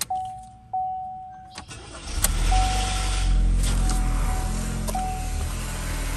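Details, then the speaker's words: 2016 Chevy Cruze 1.4L Ecotec turbo, run low on oil, restart after replacing exhaust camshaft sensor: uneven lumpy wavering idle; still rough, code P0017 remains. "still acting up let's read some codes"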